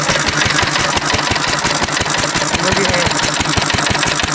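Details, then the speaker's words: 1950s Cushman Cub single-cylinder four-stroke throttle-governed stationary engine on near-pure 91% rubbing alcohol mixed into the gasoline, with spark advanced. Ragged, uneven beat with irregular gaps between firings as it labours and starts to struggle. "you see it turning around in there yeah it's starting to struggle yeah not happy with this decision"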